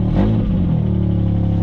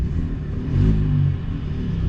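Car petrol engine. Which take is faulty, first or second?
first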